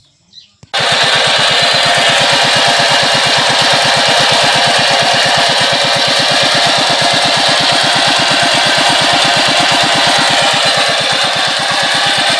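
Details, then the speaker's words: ER40 single-cylinder diesel engine that hunted up and down and was hard to start, after nozzle tip spray corrected and injector refitted: catches and holds a fast even chug without rise and fall; run now stable. "Testing natin paandarin kung stable na ba yung kanyang andar o taas baba pa din."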